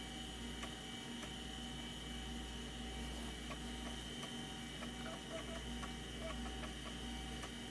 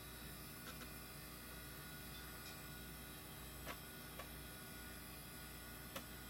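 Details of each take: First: Oh wow, that's a horrible noise! It found it. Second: Old IDE hard drive detected as master with good SMART data, passing all quick tests; quiet steady spin hiss with an occasional soft seek tick about every second; running normally.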